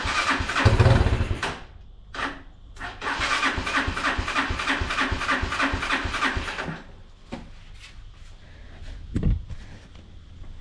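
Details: Unidentified, probably Chinese, four-wheeler cranked by screwdriver across the solenoid on a jump pack with choke and starting fluid: rapid starter chugging for a few seconds, never catches, then silence. Bad-gas smell; pilot jet found plugged, main jet almost plugged.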